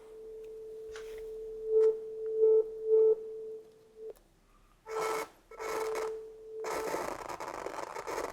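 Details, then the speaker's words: Channel two gain pot of a 30-year-old Soundtracs Jade 32 analog console: steady test tone broken by scratchy crackling bursts on first turn, easing after turning to max and back; dirty pot. "it's a bit strange there are some inil cracking the first time you turn the knob and after you done it to the Max and go back it's like it's waking"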